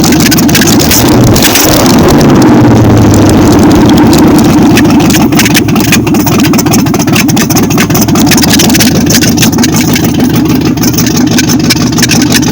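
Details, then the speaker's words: 1953 Ford Customline with a swapped-in 350 Chevy V8, which has ongoing carburetor issues and a loud exhaust. Ignition timing is set far too advanced: the V8 blips up lumpily and the revs hang, sinking only slowly afterward. "I have to say that that is way Advanced that's why when you rev it it goes up and it takes a long time to come down"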